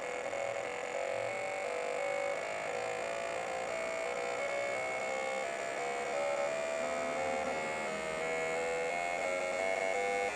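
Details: Fuel injectors on a test bench at maximum rate, up to 20,000 rpm: continuous high buzzing with steady fast pulsing, even and unbroken; injectors cycling cleanly, nothing abnormal.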